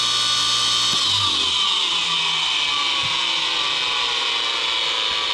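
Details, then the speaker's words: DIY 10 HP rotary phase converter fed 241 V through a 50 A welder plug, start button held long enough: idler spins up cleanly to a steady, even whir, no buzz or growl. Normal start and run. "stop works great. Start works great."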